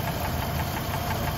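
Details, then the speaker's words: High-mileage 190,000-mile engine at idle after oil change with one quart of Lucas Oil Stabilizer; previously loud lifter tick and knock, now only fast, light, faint ticking audible up close. "i can still hear it but that's very very faint i think the camera's picking up a lot of noise which is good but up close right now listening to this that's very quiet"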